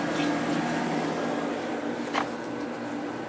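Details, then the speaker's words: Reassembled late-90s Whirlpool Accudry 40-pint dehumidifier (reciprocating compressor, likely Embraco, Emerson fan motor), switched to high fan, 6.46 A and 474 W: even fan rush over soft steady hum, no rattles or grinding; evaporator not icing, some condensation; running normally. "It's been staying around 6.24 amps and 458 watts. Let's go up to high speed."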